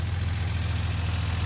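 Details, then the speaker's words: 1990 Dodge Grand Caravan LE idling after repairs, holding temperature, oil pressure good, charging slightly low; fast regular low thumping around 14 beats per second from the radiator cooling fan, sounding like rod knock, getting quieter; fan may need replacing. "yeah yeah good luck in that window that fan sounds like rod knock and I hate it could have to probably look at this or it's getting quieter so it might kind of clear itself and or I'll have to get a different one"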